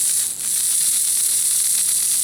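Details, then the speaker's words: Lima Express Parcels van model railcar drive with 3D-printed replacement gear, 9-volt battery, before lubrication and reassembly: light high whirring hiss with faint fine ticking, no catching; gears move fairly freely on shafts, judged acceptable. "I think it's sort of moving around on it shafts fairly freely yeah I think we'll stay with that"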